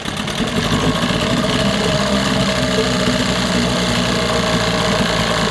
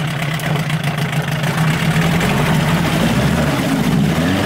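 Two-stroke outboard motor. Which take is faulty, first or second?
first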